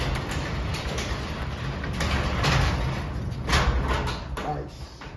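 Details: Garage door rolling up its track after part of the latch that rubbed the track was cut off with an angle cutter: low steady rumble, no click at the top; latch now runs clear.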